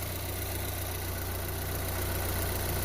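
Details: 2014 Chevrolet Equinox LS idling with a deep, uneven shake and a tendency to stall; the scanner shows code P0300 with misfire on cylinders 1 and 2.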